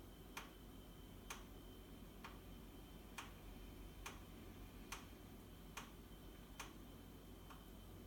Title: Boxi boiler - knocking sound